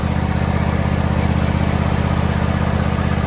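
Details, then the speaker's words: John Deere X304 lawn tractor, sat about two years, carb not cleaned: the revived engine runs with an even, steady low thrum of about four beats a second and no missing or knocking. Normal running. "or not having any for not cleaning the car of any at all"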